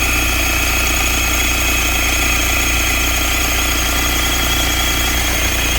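Diesel idle carries a steady whirring, whistling overtone above the clatter, likely from the front pulleys; the exact source is unclear.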